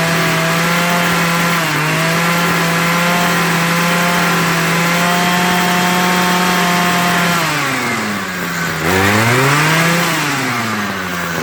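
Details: Homelite 26cc hedge trimmer two-stroke after carburetor and fuel line service, warmed up and being tuned. It holds a steady high buzz, then sags and surges in pitch while the needle valves are opened more. Unstable running.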